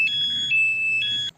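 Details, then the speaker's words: Aftermarket HD remote alarm fitted to a 2022 Honda Beat scooter; armed alarm set off by a jolt gives a shrill two-tone siren alternating about twice a second with blinking indicators, then cuts off. "Dimana saat Alarm diaktifkan apabila motor terkena guncangan atau getaran dia akan mengeluarkan bunyi sirine dan juga lampu seinnya berkedip"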